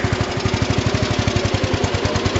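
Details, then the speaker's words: 1982 8163-B tractor after a hub change, snowplow fitted: steady engine beat with no clunks as the clutches engage, zero play or jumping; engine runs decent but the carburetor needs readjusting. "also zero play and zero jumping and when i engage the clutches this is nice"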